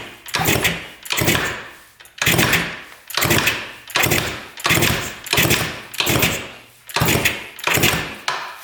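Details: 1970 Yamaha R5 350 two-stroke twin, oil put in the cylinders, owner unsure if rings are stuck: steady kicks about once a second, smooth even whoosh without catching or scraping; engine turns over freely.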